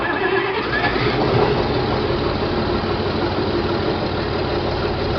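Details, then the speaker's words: John Deere 4020 diesel tractor first start after splitting and clutch replacement: steady idle around 1,000 rpm with even firing and no knocks. Oil pressure light out, still a little smoky. "Oil pressure light is out. That's good. Got about 1,000 RPM. Still a little smoky."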